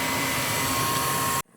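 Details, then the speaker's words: Old gas furnace, owner complained of clicking at startup (just the gas valve clicking in): smooth even air rush with steady hum, no clicks or rattles, shuts off cleanly; capacitor okay, flame sensor cleaned, cycles run with no issues. "Filters no. Clean flame sensor. One cap okay, ran through cycles. No issues."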